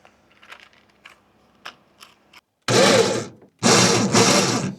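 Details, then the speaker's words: Off-grid cabin winch after relay fix, Kohler engine's charger previously too low voltage: two strong bursts of steady motor whir with gear rattle; winch pulls evenly and works normally. "Everything's working now. Winch is working again, battery is working, lights are working, battery"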